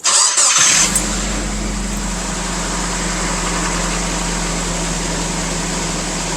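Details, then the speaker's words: Nissan Frontier 2.4L after replacing spark plugs and plug wires for cylinder 4 misfire (P0304, power loss, check engine light): quick crank, starts and settles into smooth even idle, sounds much better than before. "man that just sounds a lot better it was misfiring on cylinder 4 it just sounds way better"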